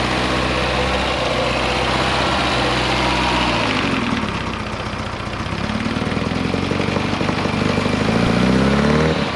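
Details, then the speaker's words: Abandoned 1975 Chevy Vega Cosworth four-cylinder just started after sitting: it settles into a fast, busy idle that dips and climbs a little and sounds like an RX-7 rotary; the idle speed is set too high. "Sounds like a rotary. Look. That thing sounds like a RX-7 rotary. And the idle's high."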